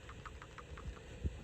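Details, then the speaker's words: Dodge Dart 1.4L with excessive oil burning: new working PCV valve gives a light quick ticking about six per second over idle, normal; the old valve made no noise, found to be the oil-burning culprit. "I did want to add to this video that when you have a new PCV valve a properly functioning one you're supposed to be able to hear a noise"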